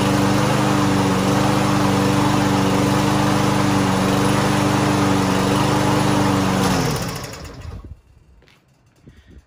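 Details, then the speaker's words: Lawn Boy mower unused nearly a year, after carburetor cleaner spray, started without starting fluid: steady even beat with no misses or surging, then shuts off cleanly; normal running. "está mire ya está jalando ya está funcionando muy bien"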